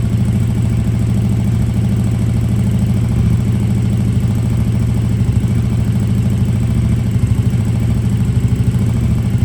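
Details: KTM RC8R with a swapped 2020+ third-gen 1290 Super Duke engine and electronics, first start after the swap: deep, even thump at steady idle, clean low exhaust note, no knocks or misses; normal idle.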